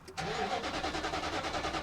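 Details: 2008 Nissan Titan on a roughly 30°F morning, crank and cam sensors already replaced, no coil fire. Steady starter churning at about eight pulses a second never fires, with no RPM signal from the refitted crank sensor; an air gap issue is suspected.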